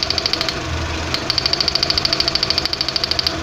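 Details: Mk4 Jetta 2.0 losing power badly, idling while cylinders 1 and 4 show good spark from the coil: uneven idle with sharp high ticks about three per second that drop out briefly; misfire.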